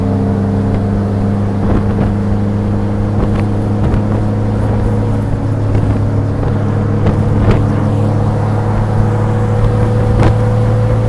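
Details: 1966 Triumph Spitfire MK2 driving on the road: steady even engine drone with smooth low hum, no chain rattle or tapping; timing chain tensioner works perfectly.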